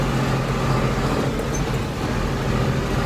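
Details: John Deere 4755 side-exhaust tractor, driven on the road after a complete Powershift transmission rebuild, top speed 30 km/h: deep, steady diesel growl, no knocks, whine or grinding over the road rumble; normal running.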